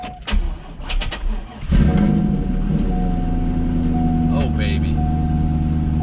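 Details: Chevrolet Corvette C5 Z06 started after sitting about a year, on fourth attempt: a few knocks and clicks, then engine catches and settles into a smooth, steady idle; normal start, though it later died (alternator suspected).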